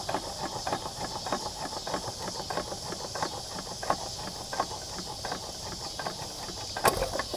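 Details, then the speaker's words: 1913 4hp Nelson Brothers hit-and-miss engine, original bore and rings with strong compression: soft, evenly spaced cam clicks about every two-thirds of a second as it freewheels between firings (clicks counted to judge coasting, up to 36), normal healthy coasting. "there's a little click from the cam and a lot of people count clicks to judge how long it's been coasting or running through the cycle just freewheeling"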